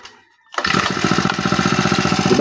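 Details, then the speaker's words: Honda G35X four-stroke brush cutter after valve clearance adjustment, timing and carburetor tuning: starts on the first pull and settles straight into a smooth, even idle; normal start. "One click lang natin. Tapos napakaganda pa ng kanyang idle mga boss. One click 'to mga boss."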